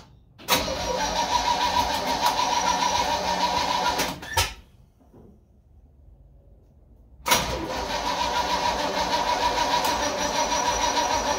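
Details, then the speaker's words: Old carbureted supercharged truck V8 after carburetor cleanup, primed with gasoline: steady cranking bursts but it never fires. Fuel was then found leaking, and the owner suspects the float needs adjusting. "Well, it acts like it didn't get no far at all."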